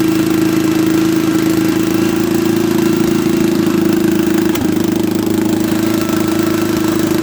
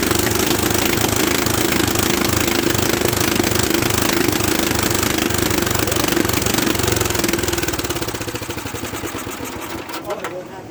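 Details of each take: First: Late-1960s or early-1970s Bolens tractor, single-cylinder, pulled from barn after sitting many years, ignition bypassed: steady single-cylinder putter, firm even hum, no knocking; running normally. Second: Old Bolens tractor pulled from a barn after sitting for years, faulty ignition bypassed, starting fluid given: slow, uneven chugging at two to three beats a second while cranking, never catching and running on its own. Cranks but won't start; cause not confirmed.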